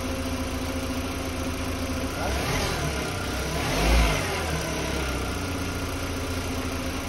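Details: 2005 VW Beetle after replacing the faulty fuel pump and its leaking gasket (cause of P0455 gross EVAP leak): steady idle with a low, even rumble and one brief swell around four seconds; engine settled and running properly.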